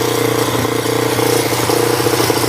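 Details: Cold start after charging its dead battery overnight on a tender: even, steady idle hum with no misses, knocks or hunting. Engine sounds healthy.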